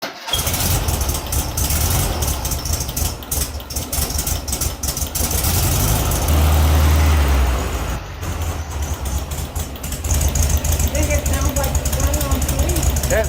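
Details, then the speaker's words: VW Beetle 1600 air-cooled flat-four at idle: lumpy, stumbling, uneven beat instead of a smooth sewing-machine patter; suspected misfire, checked by pulling spark wires one by one; sounded better after restart. "that yeah that that doesn't sound right at all that really it should sound like a sewing machine that doesn't sound like a sewing machine"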